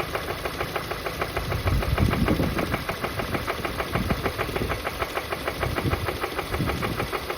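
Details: VW Golf GTI Mk7 Performance Pack, CXCB engine; deep heavy knock about three times a second at idle from start-up; rod knock, suspected from running without oil after the plastic oil pan broke.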